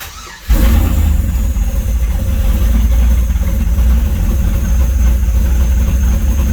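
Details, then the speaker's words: Chevy C10 with 5.3 LS V8, stage 2 cam and free LSA supercharger at about 5 psi, exhaust cutouts open: deep choppy, loping idle under a steady low rumble; aggressive cam lope set by the build and tune. "so you got that chop chop chop chop chop chop chop chop chop chop chop chop cup that girl got that chop"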